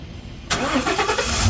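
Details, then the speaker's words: 6.2 liter gas truck, sat about a month, started with a GOOLOO GP4000 jump starter: quiet lead-in, brief crank catching immediately into a steady, even idle; clean first-try start. "Oh, first try. This truck's been sitting for about a month or so, so hey, works pretty darn good."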